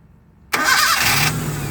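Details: Toyota gasoline engine after main cable and negative ground cable repair (cable returned to original position): silence, one short crank, engine fires at once and settles to even idle, a clean first-try start, previously hard starting.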